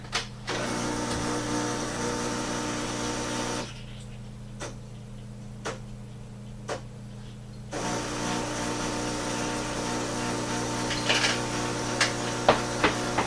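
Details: Breville BES250XL espresso machine after repairing its failed, out-of-stock pump: steady low buzzing hum in two even stretches with a short pause; vibration pump sounds healthy and pumps normally again.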